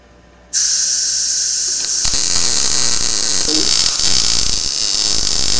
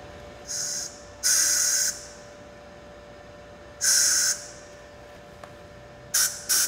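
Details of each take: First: Blue Demon BLUEARC 140MSI 110V 140A MIG inverter, synergic automatic voltage, shielding gas raised and wire speed increased, running a bead on very thin steel: even steady frying sizzle, no pops; welds nicely, no burn-through. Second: Blue Demon BLUEARC 140MSI 110V 140A MIG inverter, synergic mode, fine-tune centered, low wire speed, thin metal tack with no shielding gas: short harsh hissing sputtery arc bursts with uneven starts; gas needed.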